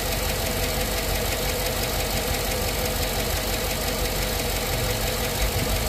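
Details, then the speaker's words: GM AFM V8 at idle, Prolube oil additive just added: light fast ticking about three per second over steady idle, unchanged cold to warm, usually fading after driving a while; lifter tap. "when you get that lifter tick here on these AFM engines it'll do that that real like tap tap tap tap tap tap tap tap tap eventually after driving it a while it goes away on its own"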